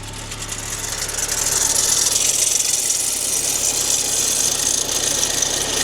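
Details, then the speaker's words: Rough, harsh clattery rattle over a low hum at idle just after a first start of a Golf GTI 16-valve petrol engine, bought as a non-runner; it sounds horrendous, and a squeak is suspected from the auxiliary belt tensioner. "That sounds horrendous."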